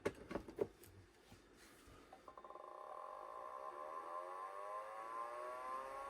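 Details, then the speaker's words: 1985 HyperDrive FX/20 20 MB SCSI drive for Macintosh Plus, powered from a 12 V 2 A supply: a few clicks, then a rising spin-up whine with an odd sound; owner suspects head stuck to a platter or another fault. "so it did spin up but I don't know if you heard that sound that sounded like the had not making the sounds that it should make"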